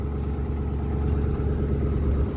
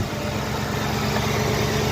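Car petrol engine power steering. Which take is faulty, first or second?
first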